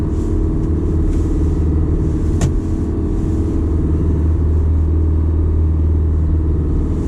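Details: Detroit Diesel 4-53TIB two-stroke truck, cold start at 28°F oil temperature, fast idle about 1000–1200 rpm while creeping off: deep steady drone, even and unbroken; warming up normally, oil pressure high when cold.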